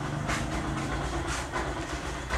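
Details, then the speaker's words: Yamaha YTX 125 single, cold start after 10 days parked with fuel cock off, carburetor well tuned: steady low putter settling straight into an even idle with no misses; healthy cold idle. "days na naka-park, 10 days na naka-stock, hindi pulos na gamit. Cold start, ito siya."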